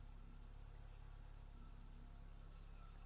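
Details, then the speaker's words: Ford Escort XR3i after a timing belt and water pump job: quiet, low, even idle with a steady beat and no knocks, misses or squeals; engine idling smoothly. "oh I start her up try one or gas yeah listen to this oh yes yes that's what you want wow running beautifully looking beautiful"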